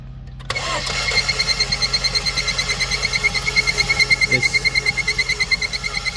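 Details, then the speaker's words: 2018 Ford Fusion under engine warranty inspection, being cranked: the starter spins the engine quickly and easily at about three beats a second with a chirpy squeak from the front; low compression is suspected, not confirmed. "spinning like it has low compression and there's a squeaking noise in the front"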